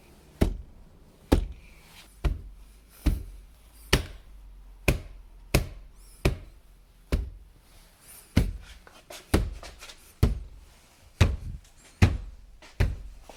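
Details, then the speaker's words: 2014 Jeep Grand Cherokee WK2 diesel, about 50,000 miles, driver door after sound deadening (Noico, CCF decoupler, Tesa tape): knuckle raps give dull, short thuds with almost no ring, one spot still sharper; the door panel is well damped. "if I hit it here I still hear something sharper but it does shut pretty well"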